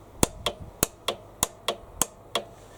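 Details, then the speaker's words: Hyundai HYM530SPE lawnmower with the 12 V positive wire pulled off the starter motor, OPC handle pulled and start button pressed: sharp, crisp clicks, about eight in three seconds; the solenoid is working and receiving 12 V. "solenoid is indeed clicking ok so that's good news that means that the mechanical part of the solenoid or the electromagnet is working"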